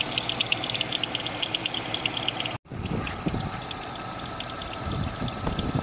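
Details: GM 3400 engine at idle: quick, uneven metallic ticking and chatter over the idle from the belt drive, caused by a bad, broken power steering pulley.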